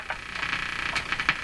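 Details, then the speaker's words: Vintage communications receiver (Hammarlund HQ-100A, HQ-180 or Hallicrafters SX-122) being powered up slowly at about 80 V: hissy, warbling high chatter with pulsing chirps. This is interference coming in on the antenna, not a set fault. "that's interference uh just not the radio of course that's coming in on the antenna"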